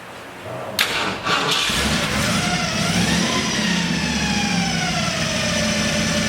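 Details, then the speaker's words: 1964 Ford Fairlane Thunderbolt V8 with huge cam and gear-drive timing, running on avgas, first start after build: brief crank, then catches into a strong, even, lumpy idle with no misses or knocks; normal cold start. "Wow. And I see you have aircraft gas in it."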